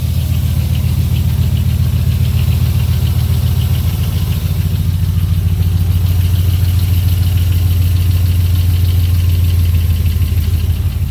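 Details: 2002 Dodge Ram 4.7 with NV3500 5-speed manual, cold start: steady idle with a fast, loose clatter about three times a second that stops when warm; cracked manifold and lifters ruled out, cause unknown.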